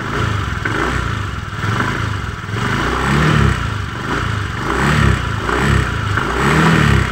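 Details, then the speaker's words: Honda Beat FI v2 scooter revving with CVT cover off: irregular metallic clatter swelling with throttle; confirmed crankcase fault, brass bushing bore worn loose, likely from overheating, letting the drive shaft wobble. "Doo nito maalog Yung drive shop Syempre maluwag yung parang singsing na tag maingay"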